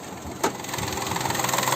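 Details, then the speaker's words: Fire-damaged Peugeot 108 with a 3-cylinder 1.2 petrol engine at 85,000 miles: steady, even idle with a soft regular pulse and no knocks or misses; it runs very smoothly. "Need to open, and you can hear the engine noise. And it runs very smooth."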